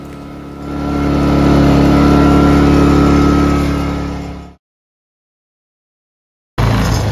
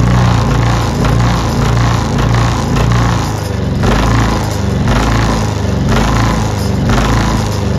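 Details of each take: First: Ryobi 2300W inverter generator after cleaning the carburetor for idle surging: engine climbs to a steady, even speed and holds it without hunting or surging, running smoothly. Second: Ryobi 2300W inverter generator at idle: engine speed swells and sags about once a second, surging badly; clogged carburetor pilot jet starving the idle circuit, fixed by cleaning the carburetor.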